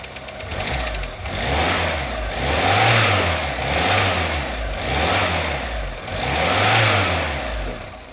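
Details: Cold 1989 or 1990 VW Golf Mk2 automatic, carbureted Pierburg engine (1.6 or 1.8 stated), new plugs, leads and thermostat: revs climb and fall in repeated even swells about every 1.5 s, no misses or knocks; normal cold running.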